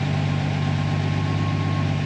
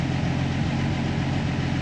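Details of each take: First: Jeep Willys engine running on a newly installed Fueltech ECU, restarted after ECU power cycle; even, steady idle with low constant drone, no misses, knocks or hunting, very small fuel correction; normal idle. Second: Jeep Willys with FuelTech programmable injection, steady fast even idle with a low drone and no misses; idle sits higher after the fuel map change.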